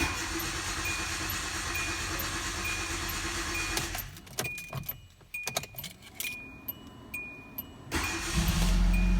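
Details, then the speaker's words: Hyundai Accent after fuel pump replacement for crank-no-start, pump temporarily plugged in: clicks and key jingles, engine catches cleanly into a smooth even idle, no leaks; normal start and idle. "we go no leaks we should be good"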